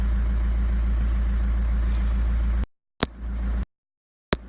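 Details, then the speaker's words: Chrysler PT Cruiser CRD diesel after replacing a failed alternator and serpentine belt (wobbling, off-center pulley had sheared the belts): steady low diesel clatter at an even idle, no knocks or squeals; restarts and idles normally. "can I say you've never even no idea how happy I am to hear the noise of this get on starting again"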